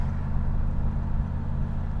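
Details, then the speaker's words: 1991 Camaro Z28, 5 L V8, 22,000 miles, five-speed, driven under load in a different gear after injectors were cleaned to cure a persistent misfire: smooth, even pull with a steady low drone, no stumbles or pops; misfire fixed. "I'm going to enjoy the sweet noise of a 5 L V8 without a misfire"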